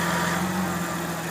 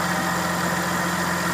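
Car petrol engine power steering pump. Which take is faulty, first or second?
second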